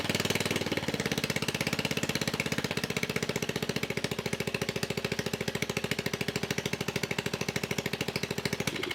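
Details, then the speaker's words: Murray riding mower engine, long unused, previously stalling and smoking badly, running at fast idle with exhaust removed to check the cause; fresh gas and new fuel lines; loud raw unmuffled popping, still smoking a little. "I went ahead and removed the exhaust because it was smoking so bad and I want to try to see if that was a cause for the engine to stall out"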